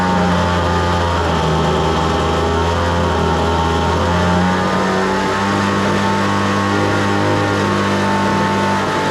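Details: Homelite two-stroke leaf blower at wide open, its only running throttle position, after the too-lean high-speed screw was richened slightly; a strong, steady high-pitched buzz with no surging or sputtering, now starts easily and runs well.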